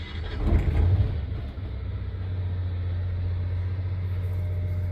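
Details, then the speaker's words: Generator mounted under the body of a 2000 Sunflyer motorhome, started while still on shore power, heard from inside the coach: brief rough start, then a steady, even low hum with no knocks or surging; normal running. "So I don't know if you can hear that, but the generator is now running in the coach."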